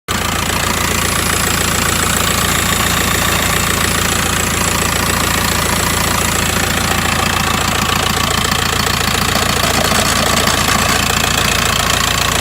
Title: VW T5 2008 1.9 Tdi rattle noise